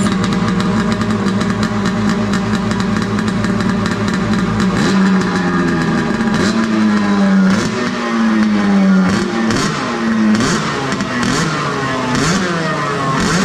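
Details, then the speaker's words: Arctic Cat F7 two-stroke snowmobile revved with a newly fitted booted add-on, after fuel was swapped because it had snuffed out like seizing. Crisp rasp climbs and falls cleanly through repeated blips, no misses or rattles: healthy. "That sounds good. You know what it sounds like? A race?"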